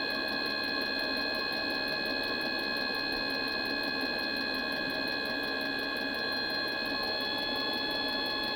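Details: Mikuni heater won't start: a steady whirring hum with brisk irregular ticking about three a second, but the heater never catches and fires.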